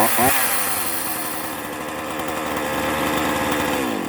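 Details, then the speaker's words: Two-stroke chainsaw after service and adjustment at the workshop: high buzz blips up then holds with a slight wavering, uneven note; still not 100%, needs further carburettor adjustment. "Isso que ainda não está 100%, certo? Eu ainda vou dar mais uma trabalhada nela para deixar ela redondinha."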